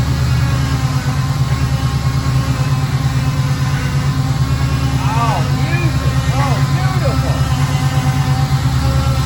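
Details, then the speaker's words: 1953 Ford pickup with small-block Chevrolet V8 swap, at idle: loud steady low growl from power steering pump overfed by excessive flow (type 2 pump). "the gentleman that brought us his truck bought the truck for his wife and now i can understand completely why she doesn't want to drop it it sounds absolutely horrible"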